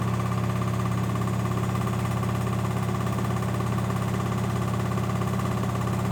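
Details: LG 1007 SNW 7 kg washing machine wash cycle: heavy steady low hum with fast regular thumping about three beats a second; rough, vibrating, recurring after others left; cause unknown.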